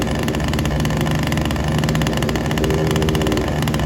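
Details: Ryobi SS30 multi tool two-stroke that wouldn't start, after a complete carb tune: steady, even buzz with no stumbling or surging; runs smoothly, sounding a little better now.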